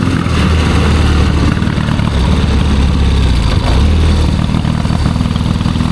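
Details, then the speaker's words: 1972 Triumph Bonneville 650 twin, long unridden, ride test: lumpy, uneven chugging beat that won't pull cleanly, falls flat around 4,000 rpm; running really rich. "Could be better. Really rich, isn't it? Runs terrible."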